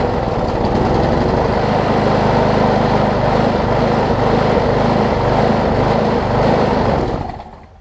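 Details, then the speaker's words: Old Gardenway-made Troy-Bilt push mower, tank nearly dry with a little 50:1 fuel added, runs with an uneven hunting beat; owner suspects the badly damaged blade contributes to the surging and a new blade would fix it. "i would think some of the surging is contributed to the blade on it if you can see that i think i can see that it's it's it's really really bad so i think a blade would fix that surging issue"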